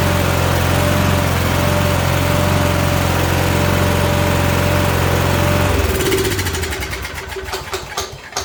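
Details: Troy-Bilt riding mower with Kohler Courage single-cylinder engine, after turns-over-no-start fix (carburetor fuel solenoid disabled): runs steady and even for about six seconds, then shuts off and coasts down; healthy running.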